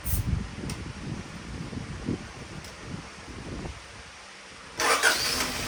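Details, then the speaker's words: 1975 Honda Civic CVCC: very soft, even low idle murmur with no knocks or ticks, described as super quiet, like a new motor; normal healthy idle. "I can't believe it sounds that good. It sounds like a new motor. It's super quiet."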